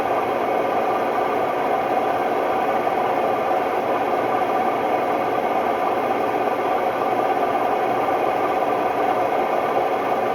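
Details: Hotpoint Ultima WMD960 washing machine, recently acquired, fast test spin: loud steady roar with a rough rattling edge; worn drum bearings.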